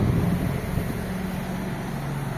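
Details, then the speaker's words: 1990s Ford Mondeo idling, heard from outside the car: soft, steady low hum with no ticks or misses. The engine is so quiet it is only audible close to the bonnet; normal idle. "The first, how quiet is this car? You can't hear the engine."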